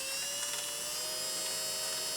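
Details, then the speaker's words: Innocraftsman mini drill press running unloaded at speed, with the microphone brought close; the unit later overheated. A steady high whirr with a faint rough, gritty edge, possibly from internal gearing, cause unconfirmed. "and you can hear a little grittiness there. Let me bring the mic a little closer. So, I don't know whether that's some gearing inside or something,"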